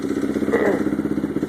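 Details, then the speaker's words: 2002 660R single-cylinder project engine idling cold on choke: light, sporadic tink-ticking over a quick steady idle; owner suspects cam, timing chain or decompression mechanism; exhaust valves were found over .050 loose and adjusted last week; carb suspected dirty, running rich. "you hear that little sporadic Ting Ting tick tick I'm guessing that's probably the cam or the cam chain timing chain or else it's a decompression mechanism"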